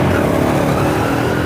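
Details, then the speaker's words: Yamaha Mio M3 125 after an engine rebuild with a new piston; earlier knocking was from a worn bearing and a loose piston and liner after oil starvation. Throttle rises cleanly with no knocking. Running normally. "tidak ada suara ketukan yang keras seperti kemarin ya di sini sudah halus dan Alhamdulillah sudah normal lagi"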